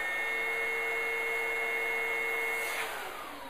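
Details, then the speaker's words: PRO12 upright vacuum with a simulated full bag or clogged hose: a thin, steady high whistle (the warning "Wizzo" device) sounds, then the machine shuts itself off automatically. "Not only would you hear that whistling noise, which we call it the Wizzo, which is our harmonic type device, but we also, the unit itself shut off."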